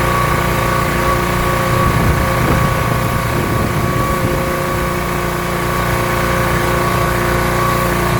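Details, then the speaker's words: Rebuilt pressure washer small engine with a known leaking manifold, cleaning a car wheel: steady, even drone holding constant speed under load, no misses or knocks; runs really well, normal running under load. "Seems like a pretty good test to me. So there we go, not bad. The thing actually runs really well."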